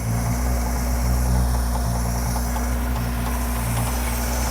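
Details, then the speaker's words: 1966 Ford 200 cid inline six (Falcon) idling just after its first start: a heavy, deep idle with a steady low rumble and slightly uneven pulses, very loud; no specific fault stands out. "folks what I can't hear you it's really loud Jackson said it's really loud we let it idle for a minute"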